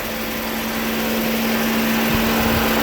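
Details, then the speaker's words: 2009 Dodge Journey after radiator replacement and crash repair, engine idling and coolant not yet hot: electric cooling fan runs with a steady low hum and smooth rush of air, pulling paper against the bumper; normal operation. "Yeah, that fan is moving a lot of air. He's pulling that piece of paper off the bumper right up against it."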